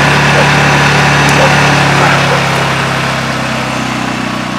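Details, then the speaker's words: Honda generator, no load: a steady hum whose speed drops gently as Eco Throttle settles. Healthy, normal running. "ecole it's loud isn't it I got that from Tor fors here in Virginia out a farm a good company need a good generator"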